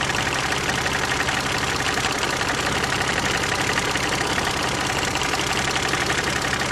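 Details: Knock in a KF 2.0 engine: a loose, fairly even tapping at a busy idle. It sounds like a hydraulic lifter, but the tapping comes from the side of the engine, so the source is unclear.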